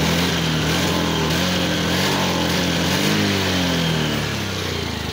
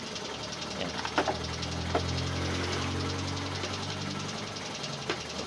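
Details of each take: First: Honda Beat FI scooter before repair, no check-engine light; scanner shows a faulty throttle position sensor; uneven, stumbling beat with irregular firing drops: misfire from faulty TPS sensor. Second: Honda Beat FI scooter after replacing a faulty TPS sensor that caused misfire and bogging; engine runs with a steady low hum and light clicks, misfire gone: normal running.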